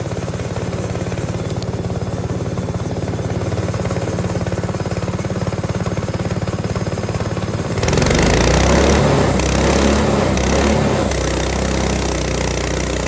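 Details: Repaired Lifan 7hp (GX200 clone) on a Frontier OS18 sawmill, whose head gasket blew from one loose bolt: steady strong beat digs in as the sub-par blade bites very dry, hard ash without stumbling; normal, powerful running under load.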